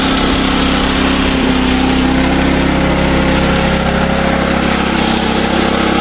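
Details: SDMO 5000W generator with a Briggs & Stratton engine (about 18 hp), restored after a no-power complaint, under a load of a heater (about 1500 W) and a light: a steady, even drone at constant speed with no hunting, surging or knocks. It runs healthy.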